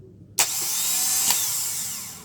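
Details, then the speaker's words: Car starter motor after a starter relay is fitted, with key-start current going to relay terminal 86: a clean click, then a steady high-pitched whir for about two seconds, spinning freely and winding down. Normal starter operation. "Nah ini saat kita starter maka arus listrik akan masuk ke sini ke angka 86 setelah itu dinamo starter ini akan bekerja ya"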